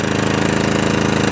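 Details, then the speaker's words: Atco Balmoral 17SK mower after fuel tap replacement, cold first start in three days: off choke at full revs, down to idle and back, steady even beat with no hunting or surging; normal governor response. "uh that's all good yeah so that's off choke full revs no hunting no surging straight down to idle no hunting no surging back on the full revs"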